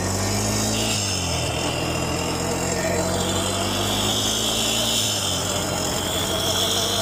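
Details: 2008 Honda Recon ATV, revived after 15+ years abandoned and a starter fix, ridden down the road shifting up with electric shift: steady engine drone under road noise, pitch drops at each upshift, no knocks or grinding. Normal running.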